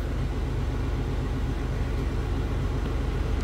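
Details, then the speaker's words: 1993 Oldsmobile Cutlass Supreme Convertible with stock exhaust, idling parked; battery, fuel line and hoses were replaced last summer. A low, even exhaust burble with no misses, ticks or leaks; the stock V6 sounds normal. "Sounds stock. Sounds like you'd expect."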